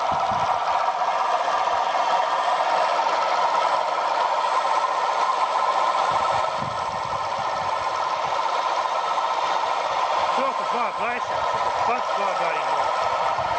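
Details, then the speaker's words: Serviced short-stroke sprayer pump feeding a sprinkler, with the motor drawing about 5 amps: loud, even mechanical chatter as water pushes the valves, with no grinding; running normally, and the pulley is slightly out of true. "Still loud, but it's not going to get you worse now. It's had a good service."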